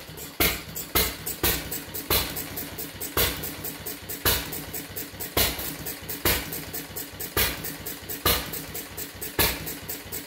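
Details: Fuller and Johnson hit-and-miss engine, first run attempt after cleaning mixing chamber, 6-volt battery and coil box, started with a little choke; sharp firing bangs about once a second with uneven gaps; seems to run too rich; mixer and RPM to be checked.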